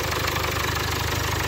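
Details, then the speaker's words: Jaguar Land Rover 2.0 Ingenium diesel just after timing chain replacement, fresh oil and filter, started straight away: steady even idle with usual light diesel clatter, no chain rattle or knock, much quieter than before; healthy. "Oil's in it, ready to go. Straight away. God, how much quieter that is."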